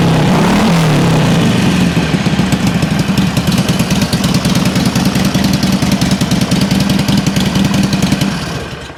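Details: 2007 Harley Sportster 1200 Custom after no-crank and oil-leak repairs, started in neutral with the check engine light off: the V-twin cranks briefly, catches right away and settles into a steady, even loping idle with no knocks or misses. Healthy.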